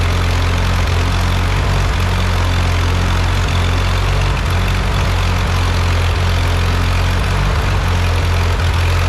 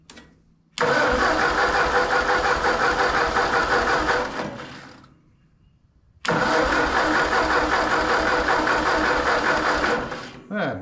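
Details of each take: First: Ford 8N tractor, first start and drive after engine rebuild, started from a jumper pack with a weak battery: deep steady even idle with regular low thump, no knocking or stumbling; normal healthy idle. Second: Ford 8N tractor after rebuild, first start attempt: two bursts of cranking at about three turns a second dying away without firing; battery weak, jumper pack brought in.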